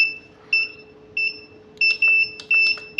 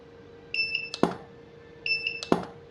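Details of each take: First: Godox SK-series (SK300/SK400II) studio flash, switched on and button pressed: repeated high double-tone beeps in short, unevenly spaced bursts with a blinking red light, the E3 error alarm; title suggests careless flash-tube replacement, fault unconfirmed. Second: Godox SK-series (SK300/SK400II) studio flash, no E3, firing at full 1/1 power: two rounds of a high two-note beep, each followed by a sharp snap of the tube; it fires and recycles normally.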